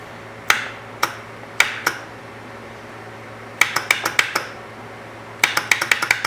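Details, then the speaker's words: Arctic Cat ATV, first start attempt after a frame swap, fresh oil, fuel pump heard priming, in neutral: sharp dry clicks in bursts of two to six, no cranking or firing; clicking, no start, cause not yet found. "we got nothing what are we missing well we're gonna do a little dag on this and see if we can't figure this out"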